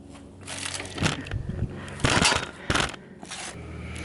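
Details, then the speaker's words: Sears Craftsman 9HP chipper/shredder, over 30 years old and unused 5–6 years. Pulling the recoil gives slow, irregular heavy clunks because a stick is stuck in the chipper chute. The motor isn't locked up, but the recoil retracts only very slowly. "So this is the chute where you put the sticks, and the reason it's making that clunky noise is there's still a stick stuck in there."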